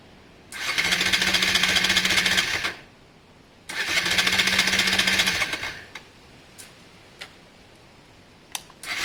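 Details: Honda Varadero 125 first start attempt after sealing an intake air leak: two cranking bursts of about two seconds, steady fast churn that never catches; no start, plugs then checked, gap found very wide, spark in question.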